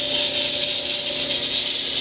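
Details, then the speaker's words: Frigidaire-built Kenmore electric dryer, hot, belt disconnected and drum not turning: loud steady airy roar, faint constant tone; noise from the motor/blower wheel area, not drum bearings. "so we can see the problem is nothing to do with the drum itself or the drum bearings so now running really loud just a fan"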